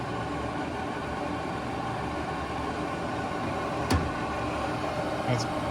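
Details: AC Infinity vent fan (separate motor box, lighter than the QuietCool) for a garage, turned up to speed 5: a steady, even rush of air over a low hum, no ticking, rubbing or wobble; normal running.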